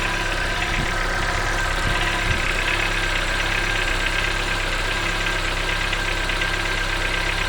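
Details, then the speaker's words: Cold-start knocking at idle on a 2014 Chevrolet Onix LTZ 1.4 petrol: a faint, uneven knock tapping through the steady hum, heard whenever the car is cold, mornings or during the day; cause unknown. "O carro tá gelado pela manhã, ou durante o dia assim mesmo, quando ele tá gelado liga, ele faz esse barulho batendo bem aqui, ó."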